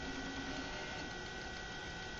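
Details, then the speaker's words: Bent, hammer- and chair-abused floppy disk, bent back into shape, in a Mac floppy drive: a steady dry crunching scrape under the drive whir as the head reads it, yet the disk is still readable. "oh it's crunching a little bit but let's see if it's still readable and it's still readable"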